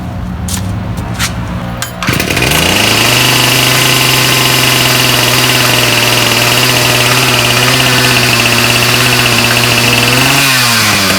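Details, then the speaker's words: Ryobi 705r 31cc two-stroke line trimmer that failed after 10–15 minutes of use with a brush cutter, run with the line head refitted: high steady revs with a loose, marble-like rattle while the head does not spin. Drive fault suspected. "so okay listen closely hopefully we're able to hear that kind of rattle kind of like marbles so uh we're gonna take it apart here and find out what's going on"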